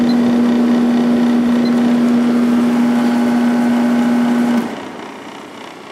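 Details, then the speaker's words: Sharp window air conditioner (8500/10500 BTU line) on high fan after frost cleared from line: steady even hum, no rattles, then shuts off; fan motor and pressure sound good. "I love the way these air conditioners sound. Fan motor sounds good. Pressure sounds good."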